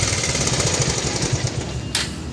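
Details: Bajaj Pulsar 150 cc motorcycle engine; fast hard rattling clatter over the idle like a small hammer drill, owner suspects something broke inside; engine clatter, cause not confirmed.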